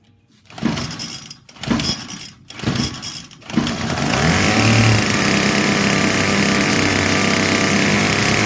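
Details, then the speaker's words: 2019 Hyper Tough H2520 25cc straight-shaft two-stroke trimmer, lightly used, sat three years with fuel in the tank; rough pull-starts, then a harsh, buzzy, uneven high rev. Owner unsure of the cause, suspects it's just how this cheap trimmer is built. "sounds terrible what's going on must just be the nature of the you know they just put a little I don't know if there's a gear in there and how they do it but it's cheap"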